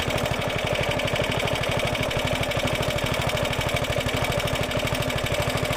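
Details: Roughly 70-year-old Suffolk Super Punch 17-inch cylinder mower, SIF 75cc cast-iron engine, running with oil and petrol added after carb and points clean, microphone fitted; steady unbroken beat about three firings a second, no misses or knocks; healthy normal running.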